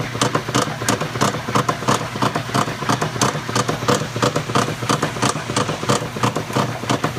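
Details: Maytag Centennial washer, just acquired, makes loud clattering surges about 1.5 per second following each agitator stroke; owner suspects a bearing or similar, cause unclear.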